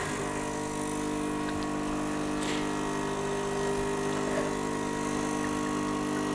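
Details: Gaggia Cubika espresso machine after full disassembly and cleaning with no new parts, heated up: constant even pump buzz, steady pitch, no rattle or strain; pump working normally.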